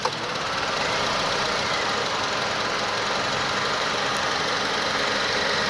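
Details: 2006 Honda Accord with 104k miles, idling with the A/C on: uneven, lumpy idle under a constant hiss, and each compressor cycle nearly stalls the engine before the ECU recovers; runs smoothly with the A/C off; cause unknown.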